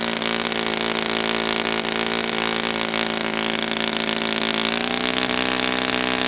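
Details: Brand-new customer Saito FA-100T twin glow engine on test stand, break-in run: steady high-revving buzz, even exhaust note, slight pitch rise near end; slightly rich, not lean. Normal rich running.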